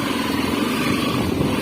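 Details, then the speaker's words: Honda XRE 300 riding test after cam chain tapping issue: even, steady single-cylinder drone with no ticking from the top end; cam chain quiet and healthy. "a moto ela fica mais justa de comando ela volta a trabalhar como se tivesse feito"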